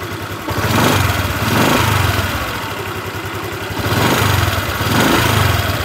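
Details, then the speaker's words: 2021 Honda New Vario 150 FI scooter, engine hot: each throttle blip brings a harsh, gravelly "licik" rattle from the middle of the engine, rising and falling with revs; source uncertain, cause suspected not confirmed. "ya teman-teman denger kalau kita tarik gas apalagi pada saat mesin dalam kondisi panas terdengar sekali suara ngernya suara menggeliciknya licik licik licik licik seperti itu teman-teman"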